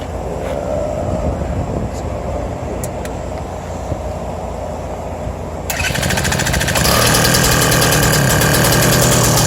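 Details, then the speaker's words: BT-80 electric-start motorized bicycle engine, first start after building a custom exhaust with a new gasket (leak fixed; muffler just refitted, gasket still curing): fires after a few seconds into a quick, regular exhaust beat, no puffing or ticking leak, everything coming out the end as it should. "I can already tell it's something a lot better there's no more sounds like it's all coming out the end like it should"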